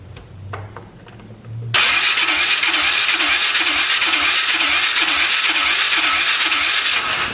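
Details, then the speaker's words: 2003 Polaris 500 H.O. ATV rechecked with a second, known-good compression gauge. Steady cranking at about three turns a second with soft puffs; it reads only about 50 psi and then drops; low compression in the single cylinder. "it's it's showing week two. It's only up to like 50 going back down."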